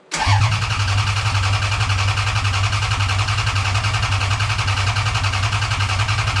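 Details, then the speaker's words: 1991 Toyota MR2 with swapped 3.0L 1MZ V6 from a Camry, start attempt after swap: steady even starter cranking about six seconds, no firing or catch, air-moving sound; crank no start, no fuel pressure built. "yeah nope nothing nothing H interesting I tell you what those sounds over really quick it proper sounds like like you say the air moving"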